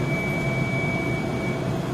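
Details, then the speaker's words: E-beam evaporator turbo pump decelerating during slow nitrogen vent (low vent used to avoid turbo damage) as pressure rises: thin steady high whine over soft rushing hiss, normal spin-down before switching to fast vent. "So keep it on low, and you can start the vent, and it'll bleed a little bit of nitrogen. You'll see the pump, the pressure goes up, you can hear the pump decelerate."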